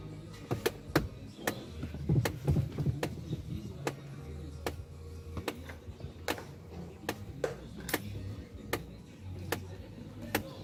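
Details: BMW E90 heater blend-flap motor beside the steering column, causing only hot air even with A/C on. Sharp dry clicks at irregular intervals, about one per second, over a quiet cabin hum: failing blend flap actuator clicking.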